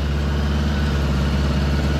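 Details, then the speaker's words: 1975 Honda Goldwing just after installing a Dynatek digital electronic ignition with new coils (previously a little hard starting): starts immediately and settles into a steady, even low idle with a smooth rumble and no misses or knocks; normal idle. "so I started it up it started up like [Music] immediately I'll show you so it's just ran for a minute or two but uh anyway here we go it starts immediately"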